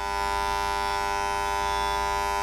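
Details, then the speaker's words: EBS260 handjet printer in purge mode, trigger pressed, spraying all jets, head held at an angle so every jet cleans evenly: steady high electric buzz, constant pitch, no sputter or dropouts; normal purge spraying. "And we're going to just press the trigger now. You can see it spraying all jets."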